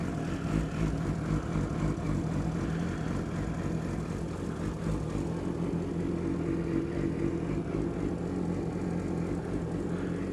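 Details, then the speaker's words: Cold, not yet warmed motorcycle idling loudly with a light quick tick from a loose exhaust header flange leaking at the engine; viewers had asked about the chain. "I can hear it though that exhaust is so freaking loud yeah it sounds like it's coming from in there"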